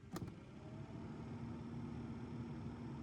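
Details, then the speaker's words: Nissan Note automatic, newly fitted replacement heater blower motor on speeds one and two: low, steady fan hum with faint even whir, no rattle or scraping; the new motor later misbehaves on speed three. "It's working. Okay, it works on one and it works on two. That's the new one."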